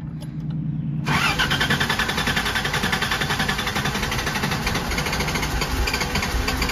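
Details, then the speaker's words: Rock crawler with hard-starting problem, fuel pressure 40 psi: about a second of cranking, then engine catches and runs rough and uneven, smelling of raw fuel; rich hard start only at startup, cleans up after, cause unconfirmed. "it smells like straight fuel like there's fuel in the cylinder so I'm almost wondering if I have to do a second you can see now cleaned up it only does this on Startup after it does that it acts fine"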